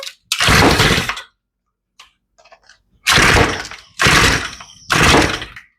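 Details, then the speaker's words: Older, long-sitting Shindaiwa two-stroke trimmer, fuel lines pumping fine, primed and choked: hard pull-start bursts turning over but never catching, nearly kicking. Carburetor rebuild is next. "oh so she's close but she's not running so next up let's rebuild the carburetor"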